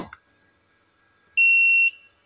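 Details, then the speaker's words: Tronic Alfa 800 W studio monoblock flash, after repair of unstable power from a failed earlier service; fired at largest power, recharges in about 2 seconds without much jolt to the mains: quiet, then one clean high half-second ready beep. Normal, stable recharge. "2 detik lampu ini sudah reload dengan power 800 watt begitu listrik nggak kejutannya nggak terlalu nyentak seperti itu ya dan udah stabil"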